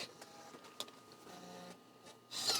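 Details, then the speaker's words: Mac internal floppy drive booting a Mac OS 7.1 Disk Tools disk after a cleaning disk: faint scratchy clicks and buzzy head stepping that never settle into a clean read; the drive is failing to read. "this drive could be totally dead oh that doesn't sound good"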